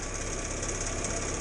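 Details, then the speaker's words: 1962 Morris Minor at idle: rough, busy idle with a steady metallic rattle from the number plate shaking under engine vibration. Owner suspects worn engine mounts cause the vibration. "that's um me number plate rattling there that ain't really that bad I mean I can live with it I can live with it"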